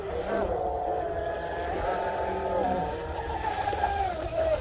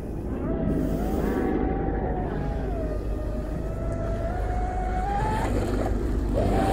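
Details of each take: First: Rebuilt Pro Boat UL-19 30-inch hydroplane, Castle Hydra ESC, Oxidean Marine 4082 motor, SMC packs warmed up: high clean motor whine steady at full trigger, sliding on the pass; smooth run, estimated at least 70 mph. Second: Pro Boat UL-19 30-inch hydroplane on its first run after rebuild with a Castle Creations Hydra XLX2 ESC, Oxidean Marine 4082 motor and SMC packs; high motor whine at full throttle abruptly drops and returns unevenly, a power cut with screeching.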